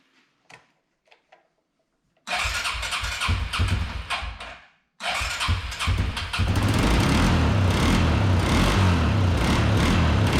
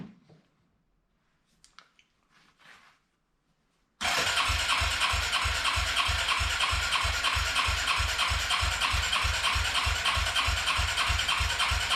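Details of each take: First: Arctic Cat 300 ATV, unstarted for 15 years, after carburetor rebuild, fuel tank cleaning, new battery, voltage regulator, oil change, tune-up and reconnecting the ignition coil: engine catches after cranking with choke and settles into a steady, slightly lumpy cold idle. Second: Arctic Cat 300 ATV, unused for 15 years, with rebuilt carburetor, new battery and voltage regulator, cranks steadily at about three beats a second without firing; no start because the fuel valve was not feeding the carb until switched to reserve.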